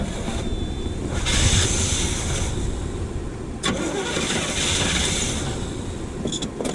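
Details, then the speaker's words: 1979 Chevy C10, factory 454 big block, first start after sitting 5 years: engine catches, runs roughly, fades and is restarted, never settling to idle; owner suspects bad fuel pump. "woo we got the ratch herds are going now it's made me more Go Juice I think our fuel pump is no good"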